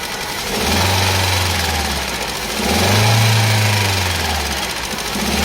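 Engine idles with a slow rise and fall in its note about every two seconds, a lumpy uneven beat that suggests a misfire. Cause suspected, not confirmed.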